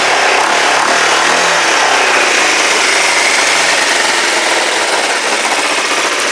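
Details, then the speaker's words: Kawasaki GPZ500S parallel-twin engine, rebuilt (about 130 PSI compression), test-run in a frame with the airbox refitted; steady, slightly uneven fast idle with a busy hiss, still on a bit of choke and not up to temperature, short of proper fuel. "I think it does bit choke on it not really enough fuel to run it right up temperature"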